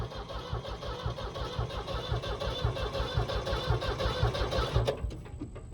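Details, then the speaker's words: Skid loader that had earlier fuel delivery trouble, fuel problem suspected again: steady starter churning about two beats a second for five seconds, engine never catches; cranks but will not start. "last video we had problems with the uh fuel delivery on the skid loader for whatever reason I just did that again"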